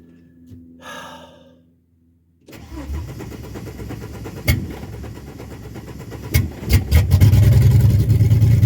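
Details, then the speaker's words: Ford AU Falcon after a new fuel filter: brief crank, engine catches promptly, settles, then revs cleanly several times without stumbling. The old filter flowed freely but was blocked under pressure; the fuel filter was the problem. "there we go so it was the fuel filter after all"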